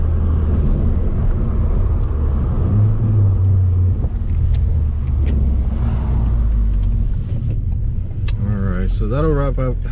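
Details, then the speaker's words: Ford Focus ST with new Mishimoto hot/cold charge pipe kit, Stratified Stage 3 91 tune, COBB Accessport, Depo downpipe and intercooler: strong, even full-throttle pull, engine note climbing smoothly, more throttle response, no stutter now. Normal full-throttle acceleration after install. "Everything looks good, everything sounds good. Does feel a little bit more responsive on the throttle. As soon as I go flat out, it just goes. There's not that stutter anymore"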